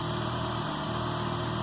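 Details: K24-swapped Honda Insight on Speeduino, after valve adjustment: smooth, even idle with steady low hum, no top-end ticking; previous tick gone, normal idle.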